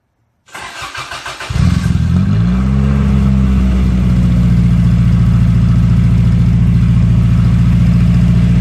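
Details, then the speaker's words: Toyota AE86 with a muffler only resting on an oversized fitting, sealed with gasket maker and held up by a jack stand. It cranks, catches and settles to a deep, booming idle; far too loud: loud exhaust from an unsealed muffler. "yeah that sounds pretty loud [Music] well damn I don't know I think that's too loud for me"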